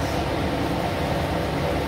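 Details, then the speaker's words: ILG B-30 blower at 250 V with the restriction plate fully removed, drawing about 3.4–3.5 A, still within motor spec: loud, steady rushing roar of air. Running wide open without the back pressure it is designed for. "there's definitely some air moving here it has no problem moving air at all but now as i said before these aren't designed to run wide open like this without any back pressure"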